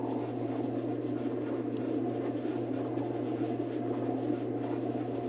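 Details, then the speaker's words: Admiral heavy-duty washer, about 20–22 kg, after seal and bearing work, suspension springs not yet fitted, wash started by blowing into the pressure-switch hose: steady low motor hum, soft even churning swish, no knocks or grinding; normal agitation, transmission fine in wash. "nos quita de encima que tengamos un problema con la transmisión que no esté siendo el abajo por lo menos el lavado lo está haciendo"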